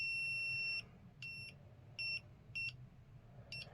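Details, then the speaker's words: Lister Liberty battery horse clippers during battery pack replacement: continuity beeper in broken bursts, cutting out as the wire is flexed; conductor probably broken through with very few strands left, wire to be replaced. "so it's never a good sign if a wire does that I think we're gonna have to replace this wire so it's just a little bit more work it's probably broken right through there"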